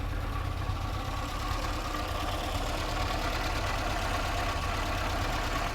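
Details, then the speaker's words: 1960 Triumph TR3A started cold after sitting, oil pressure just over 50: steady idle with a faint, constant whirring whine over the engine; a stethoscope confirms a failing water pump bearing. "Yeah, definitely water pump. The water pump bearing is going crazy."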